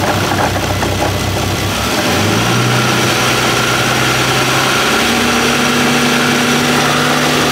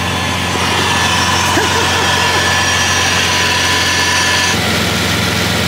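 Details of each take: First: Bentley W12 engine at idle: metallic rattle about four knocks a second over the idle, settling a few seconds after start-up; owners first feared cylinder head or main bearing, oil-pressure dependent, but the cause is a worn alternator rear bearing. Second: Bentley W12 engine at idle: even, steady smooth purr with no rattle or knock; the earlier rattle is gone, nothing internal to the engine.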